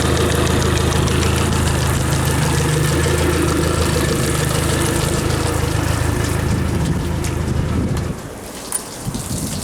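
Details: Yamaha F60 outboard, warm, idling on two cylinders with plugs 3 and 4 removed: sharp even knock about three per second from crankshaft near cylinders 3–4; oil pressure good, valves checked; found piston binding on tight wrist pin.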